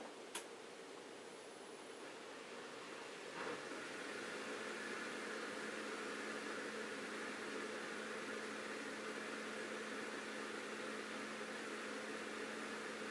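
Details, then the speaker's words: Bosch dishwasher SHE4AP02UC/06, empty sump; steady hum with gurgling airy hiss; drain pump runs continuously on air, showing board and pump work, stopping only with water; owner suspects the wiggly plastic sump lid before the pump. "this is an empty dishwasher and what we should hear is it's running the pump continuously and sucking air the whole time because it actually has no problem running the pump"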